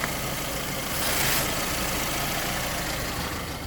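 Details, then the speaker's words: Classic car with a cylinder one misfire idling rough and shaky; brake cleaner sprayed at the intake hisses and changes the engine note, revealing a vacuum leak from a ruptured paper intake manifold gasket, probably at cylinder one. "what's happening is an intake gasket there's a paper gasket between the intake and the engine that has ruptured and it's causing it to leak vacuum on it's probably the number one cylinder"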